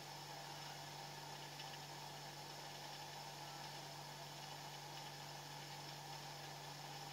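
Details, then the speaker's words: Refrigerator after clearing blockage, as freon is being added: quiet steady compressor hum with no clicking, rattling or surging, cold spreading down the evaporator; running smoothly and normally. "Oke Anda bisa dengar suara sudah freon saya tambahin suara Tetap bunyi"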